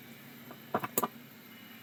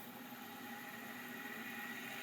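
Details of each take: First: Maxtor XT-1085 hard drive at power-on: a few faint clicks and ticks, then near silence with no motor whine rising; drive fails to spin up. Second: Seagate ST137R vintage hard drive on power-up: thin whine climbing as platters spin up with light seek chatter, seeming to seek before fully spun up; likely passed seek test, drive sounds working.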